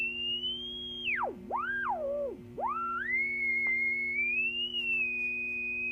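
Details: Silvertone 4586 tube radio, just recapped, tuning the AM band: high whistling tone swooping up and down, no stations, quieter on shortwave; one 6F6G output tube barely lit.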